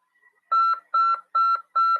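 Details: Morse CW practice tone from a Brazilian amateur-radio course lesson on CW and legislation: four even beeps of a steady mid-high tone, about a quarter second each, evenly spaced in a quiet room.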